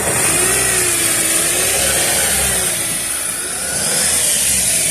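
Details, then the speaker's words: 2012 Chevrolet Captiva 2.4 16-valve petrol engine after timing chain, tensioner and balancer chain reassembly; revs up and settles smoothly with no rattle or knocking: chain noise eliminated. "Então a captiva zerou o barulho."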